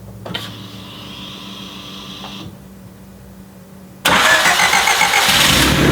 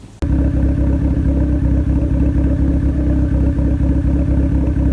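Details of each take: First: Turbo Honda CRX D15/Y8 with newly swapped Delta 272-2 regrind cam, valve lash just set, first start: fires after a quiet stretch into a loud, lumpy, uneven idle; cam timing may need adjusting. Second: Turbo Honda CRX D15/Y8 with Delta 272-2 cam, valves lashed, cam retarded 2° via adjustable cam gear to allow correct ignition timing: steady, even, healthy idle with no misses.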